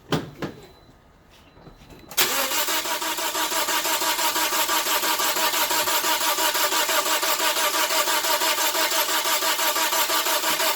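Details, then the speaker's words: 2009 Toyota Corolla with no start or long crank on hot restart, relative compression test with an amp clamp and sync on coil one (suspected low compression). Even starter chug with no weak beats; compression looks even, though the cylinder one peak seems slightly off time. "go for all it looks even so we can see I got sink on the cylinder one"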